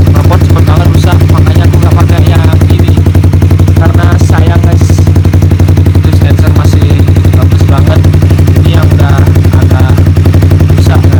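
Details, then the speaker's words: Honda CBR motorcycle with a used aftermarket silencer leaking underneath, air escaping there: loud, fast, even exhaust pulses about four per second with a chuffing, breathy edge; not overly loud overall. "Kalau kalian bisa rasain nih, anginnya keluar dari sini guys, karena ini knalpot bocor dari sini aja sih, dari bawahnya aja."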